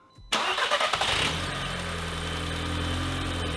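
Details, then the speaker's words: 2015 Audi TTS rollover project after JB Weld oil pan repair and key programming: starter whirs, engine catches cleanly and holds a steady even idle without shutting off; normal start and idle. "It runs, and it doesn't shut off."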